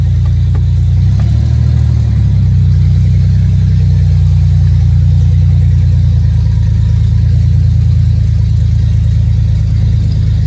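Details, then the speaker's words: Ford Ranger (budget build) that was dead with only starter clicks, now jump-started on a new battery and fired right up: deep, steady low rumble with one quick rev blip, settling to a smooth, even idle that "idles down, kinda"; normal idle. "So let's hop in and see what this puppy sounds like. Oh, buddy. Idles down, kinda."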